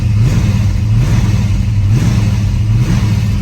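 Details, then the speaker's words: 1966 Shelby GT350 4-speed with the original 289 HiPo rebuilt as a 331 stroker (forged pistons and crank, solid lifters), warm after a drive. Deep V8 rumble with quick, clean throttle blips and audible solid-lifter tick: a strong, healthy, responsive engine. "very responsive throttle [Music] is still solid lifter engine as you can hear the solid lifters"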